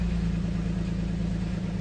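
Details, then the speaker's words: 2007 Nissan Xterra V6, P0300, plugs and all six coils already replaced: low uneven idle with stumble after re-enabling cylinder 1 injector, which misfires worse; disabling it had raised RPM and smoothed running, suspected faulty cylinder. "Yeah, now it's misfiring worse now that I turn the injector back on. I have a feeling that's our problem."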